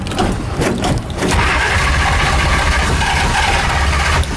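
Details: Shelby Daytona cold start after sitting 3 months, pedal pumped, full tank, good battery: the starter churns on with rough low chugging but the engine never catches. Cause suspected, not confirmed.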